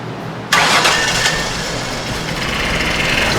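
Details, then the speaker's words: 2006 Ford Taurus with salvage-yard replacement engine, no-start from stuck closed injectors freed by tapping: cranks and catches, then lumpy uneven idle with hiss; not firing on all cylinders, suspected one of rear three; rough idle misfire. "we're not hitting on all the cylinders there buddy definitely not"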